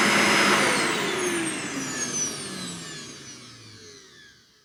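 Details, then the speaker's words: Hart DC1000 canister vacuum, second run after a first start with suspected blown bearing: high-pitched motor whine with rough noise, fading as it winds down; burning smell less than on the first start, seems a little better. "You know what? It got a little bit better. It didn't have that burning smell as much as it did, the first time I turned it on."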